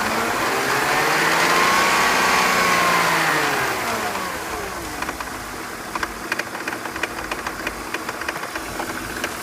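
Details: BMW 323ci petrol engine revs then idles with a steady metallic rattle from loose power steering pump pulley bolts; fixed by tightening them.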